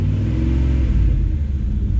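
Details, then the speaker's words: Trackhawk SUV V8 after tune-up and service, cold, throttle-body cleaner sprayed in, firing order confirmed right: deep even rumble rising and falling with throttle, no misses or knocks; better oil pressure than before. Normal idle and revving. "Oh, that sounds healthy now."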